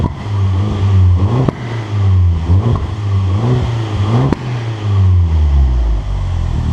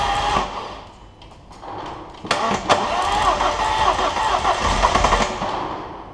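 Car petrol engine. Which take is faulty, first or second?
second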